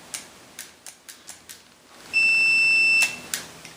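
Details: Cherry-style arcade joystick microswitch tested with multimeter continuity: a few quiet clicks, then one steady high beep for about a second as the stick closes the switch; switch working.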